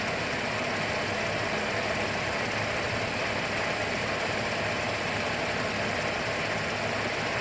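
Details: 2008 GMC Acadia SLT V6 idling on key restart after auto start squealed then shut off violently: constant dry rattle not changing with speed; sounds like a failing pulley bearing, not confirmed.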